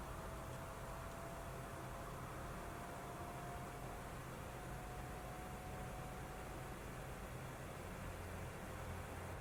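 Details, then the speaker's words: Original PS4 running the opening of God of War: steady airy rush with a faint constant whine as the cooling fan ramps loud within minutes under heavy load. "so with our original playstation 4 you can no doubt hear the loud fan noise kicking in within a matter of minutes playing the opening sequence for god of war"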